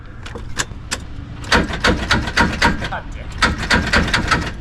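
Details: Subaru with BBR Stage 4 build, back at the shop after breaking a rod bolt on the 3-4 shift and coasting to a 9.0 at 132 mph: cranking comes in uneven bursts of heavy clunks and clatter instead of a steady spin; broken connecting rod bolt.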